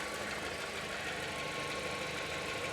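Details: 2016 petrol car with old K-series-style oil cap, bonnet open, oil not creamed up, fuel very low: even, quiet idle with a steady hum and no knocks or ticks; normal idle.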